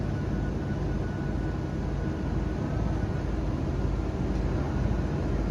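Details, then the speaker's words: Jeep with the MAP sensor unplugged, no MAP code yet, only an oxygen sensor code: loud, steady drone turning slightly uneven and labouring over time; sensor reads about 5 volts yet 13–14 inHg, rough running. "if we take a look at the data we can see that it is showing that our map sensor is reading at about 5 volts but somehow it's getting 13 14ish inches of mercury and as you can see this engine is not very happy with that sensor unplugged"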